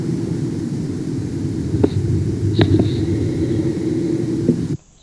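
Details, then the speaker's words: Tesla Model S driven over bumps after replacing the near-side front track control arm bonded washer, heard via sensor on the shock tube: steady low road rumble, faint ticks, front suspension quiet with no rattle. "it's like we're not even listening to um a file relevant to this vehicle now it just doesn't it's so quiet from what we had"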